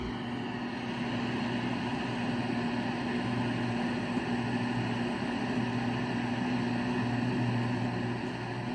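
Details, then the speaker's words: 1970s Zenith console radio on FM, no antenna connected, in a valley location: constant rushing static with low hum, no station received; set powers up and lights, poor reception blamed on missing antenna. "And I'm not really getting anything on FM. Where I live is a little bit of a valley. It's kind of tough without an antenna to get uh good get good reception."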